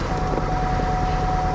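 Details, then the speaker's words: 2005 Subaru WRX STI, 142,000 miles, no check engine light: rough uneven idle with rattly clatter and thin steady whine; misfiring, rattling engine, judged a no-go. "i also recognize that noise no check engine light misfire rattling engine nope that's a wrap right there immediately no go"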